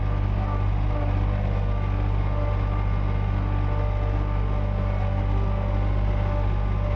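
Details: John Deere 1445 with rebuilt Yanmar 3TMV 882A three-cylinder diesel on first start after the rebuild; smoky 20-30 minutes then cleared, timed correctly. Steady, even drone at mid throttle, no knocks or misses; normal running.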